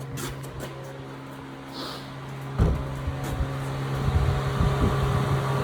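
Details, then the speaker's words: 1996-2000 Honda Civic radiator cooling fan (a temporary Integra fan) kicks on after replacing the blown 20 A fuse: a click and thump, then a steady airy whoosh over a hum. Normal cooling fan running. "Let's go ahead and put in this good 20 amp and see if we hear the fan kick on. Oh yeah, she's on, I can hear it."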